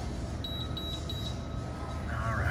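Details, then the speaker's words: Hoshizaki KM451 ice maker not working: sharp high beeps in quick bursts over a low hum, the three-beep error code. The compressor is weak and low capacity with bad suction valves, so the freeze cycle times out before ice is made. "we got a weak compressor so that compressor is low capacity you can hear it and that's why we're getting a three a three beep"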